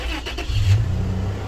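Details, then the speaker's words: 2007 Toyota FJ Cruiser with 345,000 miles, oil looks good: short crank and the engine catches at once, settling into a steady, even low rumble without stumbling; starts right up, no concerning dash lights, healthy start. "starts right up looks real good no lights on the dash that I'm going to be concerned about"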